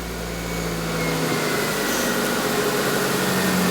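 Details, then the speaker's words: Proton Wira being returned to the road after 12 years of storage: catches and settles into an uneven, slightly lumpy, wavering idle; doesn't start as it should. "Doesn't start how it would. But then again, it's not been anywhere. It's got gamo fuel in it, is it?"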